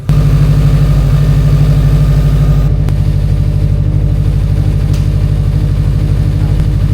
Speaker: And she's running absolutely smooth. No ticking, no knocking, nothing.